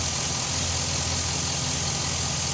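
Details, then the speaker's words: Chevy SSR running at idle after new cooling fan installed, fan on high; steady, even idle with smooth hum, very quiet, no fan roar, whine or rattle, about the same as original; normal. "can't hear it very quiet real the hand the fan is on high the same about the same as the original compressor came"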